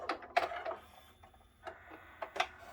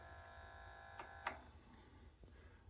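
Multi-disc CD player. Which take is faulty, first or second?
second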